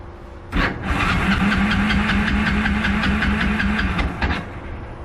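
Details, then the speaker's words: Kawasaki KLF 300 ATV after engine rebuild and neutral gear holder repair, choked: steady cranking chug about three beats a second that never catches; cranks but won't start, owner suspects flooding. "All right. Now, it doesn't want to start."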